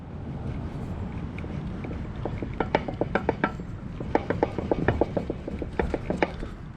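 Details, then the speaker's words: Ford Excursion, bad rear end being replaced with a used one. With the driveline rocked by hand, irregular light metallic clunks come from excessive ring gear backlash, estimated at about 0.035 in versus under 0.010 in on the replacement; this is the cause of the noise. "the amount of slop in the ring gear, and that's why we're getting noise. If I had to guess, we probably got 35 thousandths play in that, and this one's tight."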